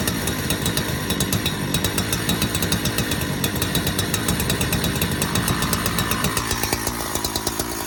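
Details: Donated 2005 Husqvarna 372XP chainsaw, said to have run poorly, fitted with replacement muffler and bolts, on non-ethanol premix: rough-edged two-stroke buzz settling into a steady run with slight unevenness; runs and oils, not yet tuned.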